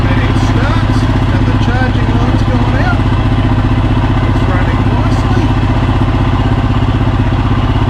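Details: Royal Enfield Himalayan single idling after stator replacement and battery reconnected: a steady, even thumping idle that holds its beat throughout with no stumble or misfire; running fine.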